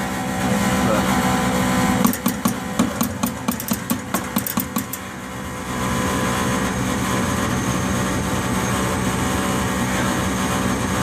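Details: Furnace with steady fan hum and a run of sharp clicks; exhaust and pilot are present but the main burner never lights, causing no heat.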